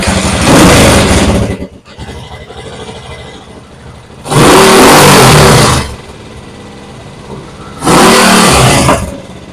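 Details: TMX 155 single-cylinder motorcycle engine, described as noisy and smoky, idles with a loose, clattery valvetrain tick, then gets four sharp throttle blips.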